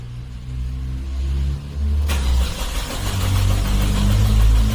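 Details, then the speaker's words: Kia that would not start on petrol (ran on LPG), after replacing the fuel filter with new plastic lines and the fuel pump: quiet cranking, then catches sharply around two seconds and settles into a steady low idle; repaired. "О, є оберти. Ану, газаньм."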